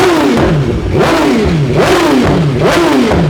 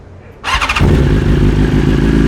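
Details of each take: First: 2023 BMW S 1000 RR after Brentuning ECU flash, Sprint air filter and relocated IAT sensor: about seven sharp throttle blips with crackle and exhaust popping on overrun, flames visible. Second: 2023 BMW S 1000 RR, warm, on Brentuning stage 2 ECU flash with Sprint air filter and relocated IAT sensor: quick crank catches at once, settles to smooth even idle, no popping or hunting; start much improved.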